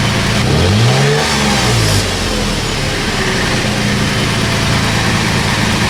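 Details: Toyota FJ Cruiser on a lift with its old rusted factory exhaust, before a MagnaFlow cat-back install: engine catches and revs with a rising pitch, then settles into a steady even idle with a mild exhaust rumble; healthy.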